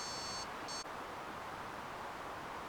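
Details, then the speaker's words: Prusa XL 3D printer, fault diagnosis by swapping parts from a second printer; buddy board swap didn't fix it: two short high beep bursts over hiss after reboot, error alarm returns. "Alright, it is not the buddy board. This is going to reboot and freak out."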